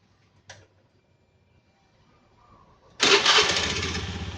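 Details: Fuel-injected scooter after the fuel pump plug, pulled to simulate a stall, is reconnected: quiet, then fires at once into a steady even idle with no misses; starts and idles normally.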